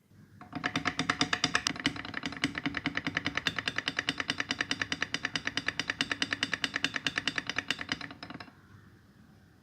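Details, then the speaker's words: Hero Honda CD100 engine opened on the clutch side, running in gear: fast sharp evenly spaced metallic rattling as the clutch turns; clutch plates have cut notches into the basket, needing a new clutch assembly and basket; worn clutch basket rattle. "देखिए housing किस तरह से clutch plate लग के cut गई है। यह आवाज सुनिए।"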